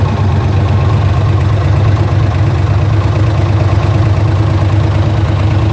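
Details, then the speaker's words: Camaro Z28 LS1 V8 after ported 243 heads, cam and nitrous swap: heavy, rough idle with faint irregular tick that worsened over time; piston damaged during or after the swap, valve-to-piston contact. "Eventually, throughout time, it had gotten worse, but we didn't know what it was at the time. You could just hear there's like a ticking noise going on."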